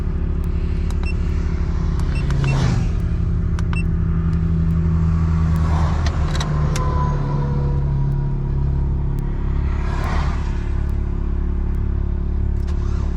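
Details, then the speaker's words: Van broken down on the road after a pop and smoke from bell housing/engine area: low uneven rumble sagging and wavering with clatter, runs rough and stalls unless throttle held; cause unclear. "That sounds really bad. Problem is it won't stay if I don't keep my foot on the gas."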